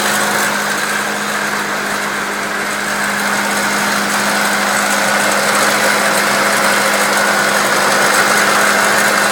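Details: 1999 Acura Integra at idle: fast, fairly regular metallic rattle nearly four per second over steady idle hum from the engine bay; something loose rattling, cause unknown.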